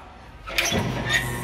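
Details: Toyota Hilux 2001 2.8 diesel after a full revitalization service with new original filters and Repsol 15W-40 oil: a quick crank catches at once and settles into a steady, even idle, healthy running.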